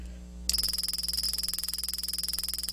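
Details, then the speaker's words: ESD gun firing 16 kV positive discharges, 20 shots a second, into a battery-powered lasing Blu-ray laser diode protected by a LASORB absorber: sharp, even snaps over steady high whine; repetitive spark discharge, diode unharmed. "And now let's give it the ultimate test. 16 kV, 20 shots a second. This is positive ESD, the most difficult to protect a laser diode from, especially while it's lasing."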